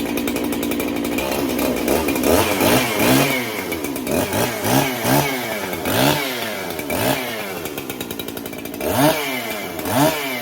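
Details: Freshly built 371 chainsaw, cold start on a chilly day during break-in: revs up and sags about once a second, surging and hunting instead of holding a smooth idle; lean on low-speed circuit, cleans up after idling, owner may richen low-speed.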